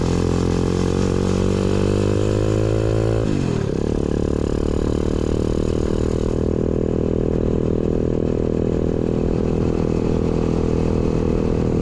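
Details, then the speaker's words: Newly installed 125cc 4-speed kick-start single in a Pagsta chopper build with a new fabricated exhaust; revs climb then settle into a steady, even thump with a crisp exhaust note and no knocks; running healthy. "sounds good guys it's got a nice little St to it yeah I'm happy with that way better"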